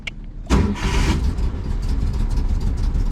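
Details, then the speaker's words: 2010 Ford Escape that had died and would not turn over, now with a new battery fitted, where the old one cranked slowly: brisk crank, fires within half a second, steady idle. Healthy fast cranking. "right up pale cranking power perfect do it again [Music] before was like slow like work work"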